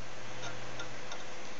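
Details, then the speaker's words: Raptor hard drive in a cheap home-theatre PC booting Media Center: steady low PC hum with a faint seek tick about every third of a second; drive clicking loudly, owner likely to replace it. "and it seems like the hard drive is not too bad it just went booting up for the first time type things but it bothers me enough that I will most likely replace it with something else"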